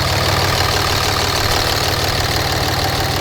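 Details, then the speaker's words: 2004.5 Ram 3500 5.9 Cummins at idle, boost leak test at 20–23 psi: steady diesel clatter under a loud airy hiss, with air coming out of the oil fill cap instantly; turbo suspected worn. "now interesting results we have a lot of air coming out of the oil fill cap so it happened instantly"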